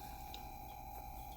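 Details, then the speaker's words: Modified Bose SoundDock I with cheap added Bluetooth adapter, no music playing: steady high tone near 800 Hz over a low hum, Bluetooth adapter interference noise that disappears when the auxiliary input is plugged in. "That noise you hear, that's coming from the Bluetooth adapter, probably because it's so cheap. When music is playing, the noise isn't as audible, but it is pretty nasty noise."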